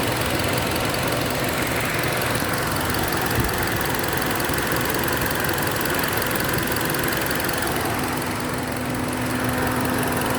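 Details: Engine misfire under load, intake manifold air leak suspected: rough, uneven stumbling beat under a hissy background.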